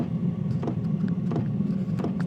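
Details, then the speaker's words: Sparks Overland gas heater after 30 days of use, at startup with the microphone beside the fuel pump; low steady rumble as combustion starts, with a soft tick about every two-thirds of a second from the fuel pump: normal burner ignition. "You can hear the combustion start to happen."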